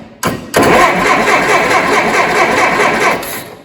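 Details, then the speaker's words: Allis Chalmers D17 tractor, first start attempt in the chassis with an inline spark tester fitted: the starter churns steadily but unevenly for about three seconds and never catches. No spark on number 1, and no power reaches the coil with the key on. "And don't see a thing on number 1."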